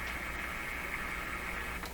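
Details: RCA Victor A38 shortwave tube radio during Magic Eye tests: constant hiss and static with a faint steady tone, spurious signals received, perhaps interference from the shop; cause unconfirmed.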